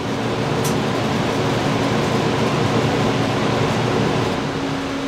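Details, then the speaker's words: 2017 R-Pod 179 travel trailer propane furnace turned up at thermostat: furnace fan kicks on, steady airy rush and low even hum without rattles, before propane lights; normal blower operation. "so what you're hearing right now is the actual furnace fan kicking on and I'm listening for the actual propane to light here in just a second"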